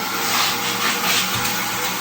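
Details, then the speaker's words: Stanley 6-gallon wet/dry vacuum, 4 hp motor, just assembled and switched on: loud even airy roar with steady high rush, no surging or rattles; motor running healthy. "And I'm gonna plug it in real quick so you can hear it running. So I simply turn on the switch."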